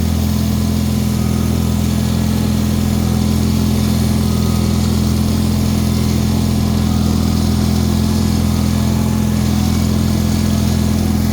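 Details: Bolens HT-23 snow blower tractor, first test of the year, warming for a few minutes after being started: constant, even single-cylinder drone with steady hum, no surging or knocking. Normal idle.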